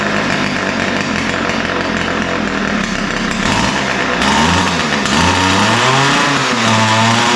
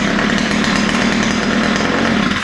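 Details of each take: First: Ryobi two-stroke trimmer running rough and uneven, pitch wandering, before carb adjustment; both the idle and top-end mixtures sound lean, so both screws will be opened slightly. Lean running, unsteady idle. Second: Ryobi two-stroke string trimmer after opening both mixture screws and setting the low-speed needle slightly rich: runs steady and even at fast idle with no stumbling or surging, starts easily, fixed.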